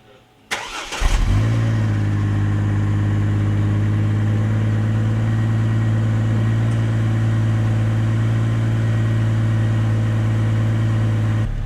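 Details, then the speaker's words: 2004 GMC Envoy petrol engine after replacing the ignition coil pack for a P0304 misfire: cranks, catches and settles into a steady, even idle with no stumble or popping; sounds a lot better, normal idle. "all right so that sounds a lot better"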